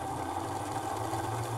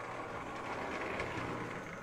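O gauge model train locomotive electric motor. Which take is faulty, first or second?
second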